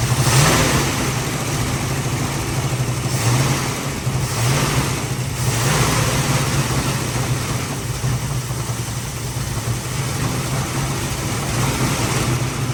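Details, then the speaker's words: 1973 Dodge Challenger with a distributor assumed to be original Mopar, fed from a bottle: V8 catches and blips unevenly, surging and stumbling; unclear if it's picking up fuel or running out of the bottle, accelerator pump or carburetor possibly shot. "I don't know if this is picking up fuel or if I'm running out of the bottle. Could be the accelerator pump and the carburetor shot."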